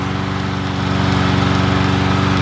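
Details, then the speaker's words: Troy-Bilt TB110 push mower single-cylinder after valve lash check, new plug gapped to .030 and used replacement carburetor; steady even putter with regular firing and no misses or knocks, running clean. "he sounds like a peach. [Applause] She's happy as Larry."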